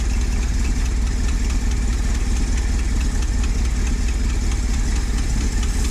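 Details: Ford F700 spreader truck V8 idling after stuck valves were freed, all pushrods replaced, new plugs and wires fitted and the carburetor rebuilt. Steady heavy idle with a rhythmic ticking and puffing on each pulse: exhaust leak.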